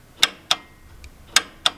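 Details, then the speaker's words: John Deere 7200 tractor with a worsening no-crank fault, sometimes cranking only after 20–30 key turns: four sharp, dry clicks in two seconds with no starter rotation; narrowed to the starter, solenoid or starting circuit relay, and the relay is blamed. "we've been chasing this problem for a while but if you turn the key that's where it clicks"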